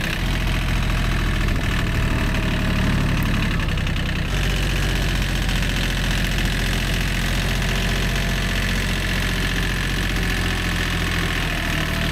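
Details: Old, worn Kubota B7100 diesel tractor at idle after a gearbox rebuild that replaced chewed-up gears and bearings: a steady, even chug with no grinding or knocking from the driveline; the earlier gearbox noise is gone.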